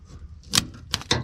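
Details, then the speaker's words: 1991 Ford F-150, key on, fuel pump heard; three sharp separate clicks with no cranking, starter trying to engage; battery charged overnight, owner suspects ignition switch or battery, later says battery sounds dead. "hear the starter trying to engage. Huh. Back to the drawing board, I guess."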